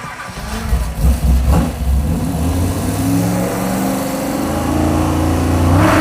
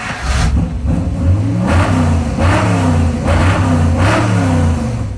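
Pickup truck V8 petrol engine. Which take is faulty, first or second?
first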